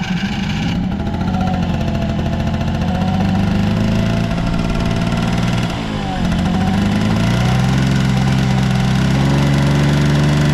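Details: Vintage Honda 12V Squash scooter (AB11-1055) two-stroke at idle: steady low buzz that rises a little and settles, smooth and quiet, no knocks or rattles; normal healthy idle.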